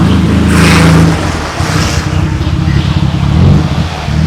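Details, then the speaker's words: 1991 Nissan Skyline GTR R32 on startup, exhaust dented in an accident with the muffler section cut away: loud raw blare surging and rasping with each throttle blip; open exhaust with no muffler, before a replacement exhaust was fitted. "As much as the exhaust sounded pretty awesome without the muffler, I can't wait to hear what this Jasma exhaust sounds like now that Lucky's got it fixed."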